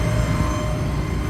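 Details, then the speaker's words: 2017 Ford F550 4WD bucket truck, 6.8L gas, idling with Thermo King running in background: faint steady whine over the low idle rumble is the PTO running; goes away when brake is popped; normal. "but I don't know if you can hear that whining noise that's a PTO running"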